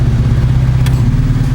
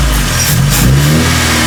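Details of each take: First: Proton Saga/Iswara after replacing air-con idle-up vacuum actuator (FICD): low, steady idle holding speed without dipping, RPM stable with the load on. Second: Proton Saga/Iswara with new AC idle-up vacuum actuator fitted: fast, steady idle with a few revving blips; the new actuator's adjust screw sets idle RPM too high and needs adjusting down.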